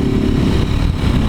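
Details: Motorcycle with a 4 mm engine and naturally aspirated head, exhaust ruled out: dense, uneven low rumble with a loose-sounding knocking clatter; something seems loose inside, source unconfirmed.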